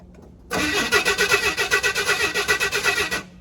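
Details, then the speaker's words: 1979 Chevy C-10 half-ton, inline six, sat 8 years in an impound lot, new AC Delco parts fitted: starter cranks in sluggish even pulses about five a second for three seconds without catching; owner thinks starter needs replacing soon. "I think it's going to need a new starter soon. Definitely going to need a new starter soon."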